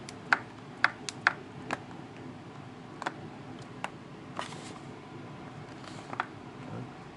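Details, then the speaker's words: 2015 MacBook Pro, new unit, lightly tilted side to side: faint, irregular clicks and ticks about two a second as a loose part slides around inside the case; fairly loud and felt moving. "so as you can hear there's clearly something moving around inside of the laptop you don't need to kind of shove it to one end just lightly tilt it from one side to the other"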